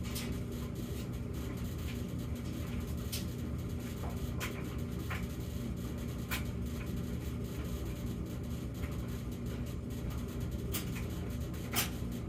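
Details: Samsung gas dryer between hum episodes: even low tumbling rumble with scattered light clicks and no hum, normal operation; hum otherwise recurs in a pattern of 14 s high then 38 s low every few minutes.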